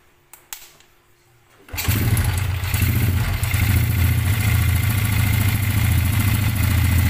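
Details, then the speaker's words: Restored Yamaha Jupiter Z1 (trail build), complaint of rough sound and low power: coarse uneven idle with loose rattle, like marbles rattling in the block when revved; mechanic suspects piston slap and worn clutch plates, not confirmed. "kalau ditarik gas itu suara ada kayak suara kelereng ada kayak suara kelereng kocak di dalam sini di dalam blok sini"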